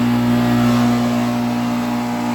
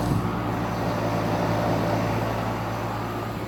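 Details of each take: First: 2008 NuTone dual-zone central air conditioner: steady low hum with a rough buzzing vibration from a badly shaking condenser fan motor, very loud; condenser fan motor vibration. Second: 2008 NuTone dual-zone central air conditioner with a scroll compressor. Steady low hum with an even fan whoosh and no knocking, rattling or squeal: normal running.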